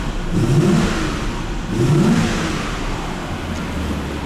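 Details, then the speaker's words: Audi V8 after thermostat change and lubricating the ribbed-belt tensioner, started with A/C on: smooth rising roar through two revs with no whistle or squeal; six-month belt squeal fixed. "Аллилуйя! Механик, блин, полгода катается с этим свистом, как какой-то контуженный. Все, ничего не свистит. Все ровно."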